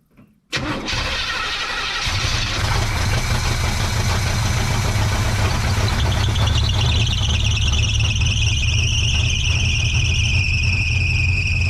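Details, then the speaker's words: 1970 GMC truck with freshly rebuilt engine and new gaskets and seals, first start after fuel-system work: brief crank, catches at once, settles into a steady, even deep idle; owner believes it is running a little rich, carburetor mixture screws still to tune. "hot dance is running on her own yes it sounds i believe she's running a little rich"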